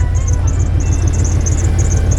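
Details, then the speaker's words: 1989 Ford F150 revived after sitting, idling: steady low rumble with faint, repeating high chirps each revolution; serpentine belt squeaking. "That little noise I hear there is the belt squeaking."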